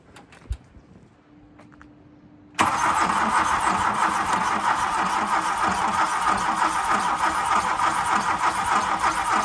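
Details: MK2 Golf 1.6 Driver project, first crank on new battery: steady even starter churning, engine never fires; no spark, no-start from ignition module.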